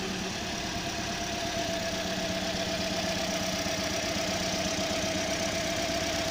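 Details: 2015 Toyota Corolla with codes P0351, P0353, P0354: petrol engine idling with an uneven, stumbling beat; misfire from failing ignition coils.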